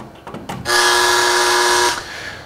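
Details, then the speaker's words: Panamax demo with a noise sniffer that amplifies EMI/RFI on the line into audible sound, plugged into an unfiltered AC outlet: a harsh, raspy buzz holding steady for about a second, typical mains interference said to degrade audio/video equipment. "now this sound that you hear is the the typical sound you hear out of most all AC others across the country this again is the amplification of the EMI and RFI noise in a system that will degrade the performance of your entire audio/video equipment"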